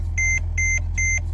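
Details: Mercedes-Benz E-Class with brake system failure: four evenly spaced high beeps, about two and a half a second, over a low engine hum; brakes going hard when pumped, warning chime sounding.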